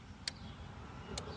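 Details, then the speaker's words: 2005 Chrysler 300 2.7L with a no-crank no-start: key held in start gives two sharp clicks from the internal TIPM starter relay, switching normally. The real fault was later found to be a disconnected solenoid wire. "Yeah. So this is it's an internal relay. I can hear it click. So it looks like everything's there."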